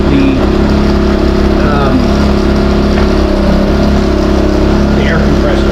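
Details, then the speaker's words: New Westinghouse iGen4000DFc dual-fuel generator on gasoline, first run out of the box, powering an air compressor at about 1400–1700 W and 122 V: a steady, even, somewhat loud drone with no hunting or knocking. Normal under load. "But right now, so far it's working right out of the box. Sounds good. A little bit louder than I thought it was going to be. It's not terrible."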